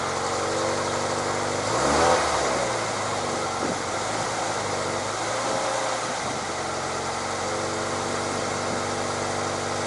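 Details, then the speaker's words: Toyota 86 / Subaru BRZ, about 7 years old, after refitting two lost bolts holding the exhaust pipe near the catalytic converter that had caused the noise: engine started, even idle and brief blip, no rattle or tapping; exhaust noise fixed. "エンジンを始動して確認します。気温は出ません。"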